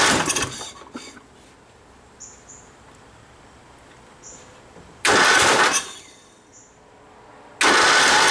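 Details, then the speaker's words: Toro riding mower with 11 hp Briggs & Stratton single-cylinder, after 4 years sitting: cranking in loud bursts with hard kicks against the starter, never catching; owner suspects flywheel key has jumped, knocking from engine not bolted down tight. "The way it's kicking back. Sounds like the key has jumped on the flywheel."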